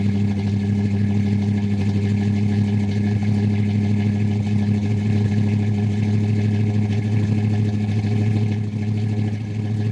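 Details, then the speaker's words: Old carbureted car cold-started at about -2 degrees after sitting 3–4 months, choke not working and very low on fuel: steady low drone with a slightly uneven beat and occasional misfires. It runs rough cold and needs a good carburetor. "It fired up pretty good. You can hear it kind of having a little misfire here and there, but really needs a good carburetor."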